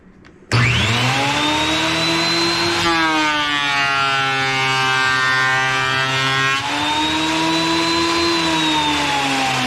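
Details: Wood planer after replacing its broken drive sprocket, with old, worn blades (a new set is planned): it spins up to a clean high whine, the pitch dips smoothly as the board feeds through, then recovers. Normal operation.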